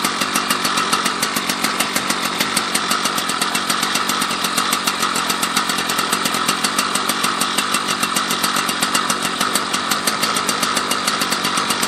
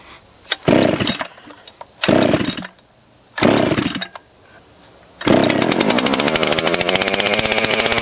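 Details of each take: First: Husqvarna 281/288 chainsaw revived after it had no spark, now with a new coil and fresh gas: a fast, even two-stroke crackle holding a steady pitch with no misses or surges. Runs cleanly; normal running. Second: Husqvarna 281/288 chainsaw revival, first run after starting on the first pull. A few revving bursts, then it holds a fast, even buzz and won't return to idle: the half throttle is sticking. Adjustment and parts including clutch and hub are needed.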